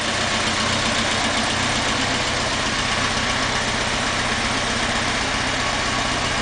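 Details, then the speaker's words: Restored 1977 Alfa Romeo Spider S2 with a 2.0 twin-overhead-cam Nord engine, not yet finally tuned: steady, even idle with a smooth rumble and no knocks, misses or rattles. It runs fine with only a little tuning left. "so it's got a tiny little bit of tuning left to do on it but that is running fine"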